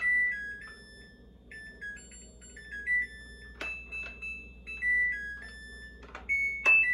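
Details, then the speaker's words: Samsung Eco Bubble WD106UHSAWQ washer-dryer finishing a 2-hour timed drying of a blanket: short electronic tune of bright beeping notes in a quiet room before the door lock releases; normal end-of-cycle melody. "Agora ela vai tocar musiquinha e eu já vou finalizar o vídeo. Ela demora um pouco, que a trava da porta dela tem que destravar."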